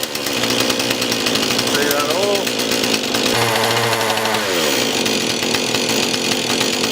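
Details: Husqvarna 440 X-Torq chainsaw after oiler, bar, chain and sprocket replacement: high buzzing two-stroke revs up and settles cleanly with no stumble or bog; running properly.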